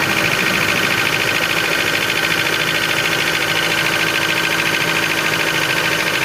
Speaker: Так, завели. Сейчас пойдет прекрасный стук, блядь.